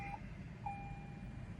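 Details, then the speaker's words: 2019-2024 Lexus UX250h hybrid after 12-volt battery replacement: two short bright chimes, the second held, in a quiet cabin as it enters ready mode normally with no warning lights. "Goes into ready mode, and there are no warning lights on."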